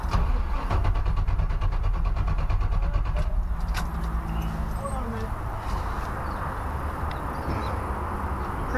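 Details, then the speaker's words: Classic car cranking at a steady beat for a few seconds but never firing, no spark; battery drops to 10 V while cranking and only 3-4 V reaches the ignition side. "It drops to 10 volts when you're cranking it. That's pushing it for How many volts has the battery got? 10 when you're cranking it. And then it's only at like three or four over here when you're cranking it."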